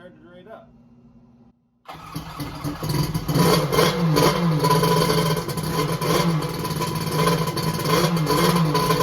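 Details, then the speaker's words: X2 two-stroke that had been hard to start, restarted: brief quiet then fires and settles into steady busy running; later ran hot, about 150°F front cylinder, 186°F head; starting fault not fully solved. "i'm gonna see if i can get it going again and run it for a few minutes [Music] [Music] okay it started"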